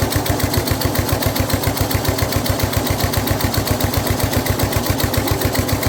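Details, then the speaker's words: Snapper rear-engine rider with a Briggs 12 HP I/C engine, abandoned for years, throttle held by hand, no choke hooked up, blade turning: an even single-cylinder thump, quiet through the old muffler, no misses. Normal running. "Okay, so we got it running good. It does run well, but the blade is turning, which is why it had an issue starting, because it was, you know, trying to crank it with everything."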